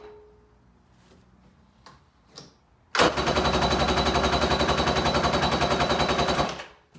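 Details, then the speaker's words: Kawasaki SC jet ski with swapped-in Kawasaki 750SS small-pin two-stroke, air filter cover off: fast, even starter chatter of about four beats a second that never catches; spark checked good, carb bone dry, no fuel delivery. "there is not an ounce of fuel in there so I'm gonna cheat a little bit and I'm gonna pour a little fuel in the carburetor just to see just to rule out the spark issue"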